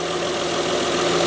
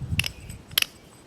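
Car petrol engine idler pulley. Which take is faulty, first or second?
second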